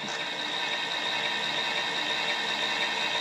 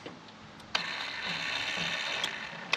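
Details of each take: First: Walker zero-turn mower implement-mount linear actuator: harsh buzzing mechanical drone for about four seconds, then it cuts out; not happy, possibly at end of travel. Worn ball screw suspected. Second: Brand-new longer-throw linear actuator of the same brand as the Walker zero-turn mower implement-mount unit: thin high electric whir with sharp clicks every second or two as the motor ratchets at end of travel; ball screw sounds good.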